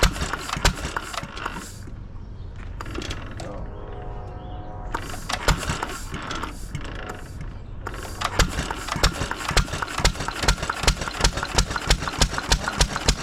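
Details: 1920s Taylor Model B hit-and-miss vacuum engine, long unused, restarted after fuel work, choked to burn old gas; sharp regular pops about two a second with coasting gaps, loud exhaust, healthy run, steaming in the heat.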